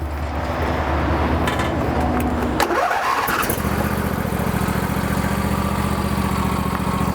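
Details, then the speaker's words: Lawn tractor engine after rotted fuel line replacement: brief crank, immediate start on fuel left in the carburetor, then a steady, even idle with no misses or knocks; healthy. "so it runs good now some of you guys might be wondering why did the machine start right away even though you had the fuel line disconnected well that's because there was still some gas left in the carburetor"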